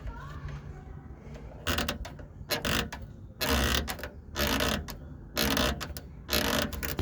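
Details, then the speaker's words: 2010 Ford Ka, 80,000 km, wheel removed, rear suspension pushed by hand: harsh dry creaks in bursts about once a second, heard over speed bumps on both sides despite lubricating shock and bushings; source not confirmed. "minha casinha em 2010 tá com 80 mil km e os dois lados fica com esse barulho tudo melecado lubrifiquei tudo e agora tirando a Roda com mais uma vez identifiquei o barulho"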